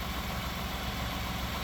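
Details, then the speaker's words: 2018 Ford F-150 EcoBoost with low coolant, overheating and engine tapping, idling as it warms up after ATF treatment: smooth, even idle with no ticking or tapping, while cooling-system pressure slowly rises as it heats. "doesn't it it sounds pretty darn good I'm telling you ATF works miracles on Motors"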